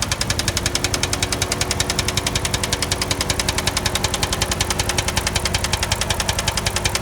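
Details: 2005 Chrysler 300C 5.7 Hemi V8: a sharp, even tick about three to four times a second rides over the idle, a steady top-end ticking with the cause not yet pinned down.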